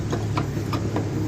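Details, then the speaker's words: 2008 Honda Civic (Pakistani-made), abnormal front suspension noise: irregular dull knocks, about four in a second and a half, over a low rumble; worn front stabilizer (Z) links confirmed, to be replaced. "ठीक है जी, हमें जो है वो इंशाअल्लाह ताला confirm है कि इसके जेड लिंक्स का आवाज़ करें, तो हम सिर्फ उसी को खोलेंगे और चेंज करेंगे तो इंशाअल्लाह ताला आवाज़ ख़त्म हो जाएगी।"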